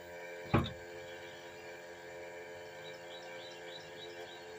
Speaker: that's the sound of a starter that's uh shot um that is actually